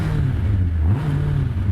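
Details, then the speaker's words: Megabusa car with a Suzuki Hayabusa motorcycle engine, started by switching on the fuel pump (heard whizzing up) and pressing the start button. The engine catches straight away and revs up and back down smoothly, with a crisp, even note and no knocks or misses. "And to fire him up, all you have to do, you switch on the fuel pump here. Hear it whizzing up. Press the old start button. And there we go."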